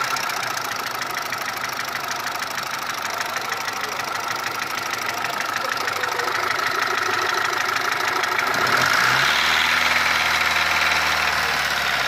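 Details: Mitsubishi 1.3 engine after engine overhaul: fast steady ticking about three per second over idle, between cylinder head and block; source not pinned down.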